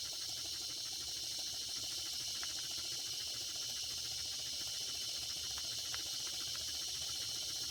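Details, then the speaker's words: Circa 1946 Watt Victor electric-heated toy steam engine after repair, smokestack near 200 degrees: steady soft steam hiss with faint light ticks, no hesitation, speeding up as temperature rises; running normally. "look at that running beautifully and it's speeding up as you can hear as the temperature increases"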